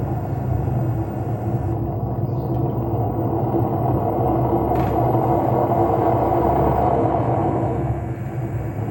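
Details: LG washing machine with worn drum ball bearings and seal: loud, steady low rumble that swells as the drum speeds up.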